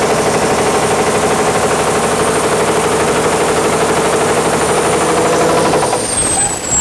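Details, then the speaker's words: Caterpillar D8H cable dozer, first start after sitting 15+ years: thin, steady high turbo whistle over loud diesel clatter, falling away as the engine winds down; turbo spooling properly. "Yeah, the turbo works. Holy cow. Hey, you really hear that whining."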